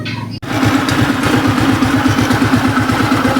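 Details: Rusi Breeze 150 scooter after repair of a noisy engine (worn, seized rocker arm bearing replaced, new cam chain, tune-up, oil confirmed reaching the top): even, regular putter at idle with no ticking or top-end rattle; runs smoothly and healthy.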